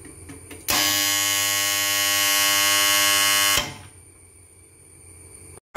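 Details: Submersible pump motor starter contactor: loud harsh electrical buzz starts suddenly, holds about three seconds, then cuts out; contactor humming noise fault being repaired, cause not confirmed.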